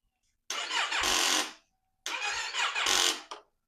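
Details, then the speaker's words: 2015 Yamaha YZF-R3 that sat for years, original battery, with a fuel leak after priming: two short, sluggish crank attempts each die after about a second without catching; the battery is nearly dead. "Let's see if we can still give it a boost with the jump pack. This battery is pretty much shot."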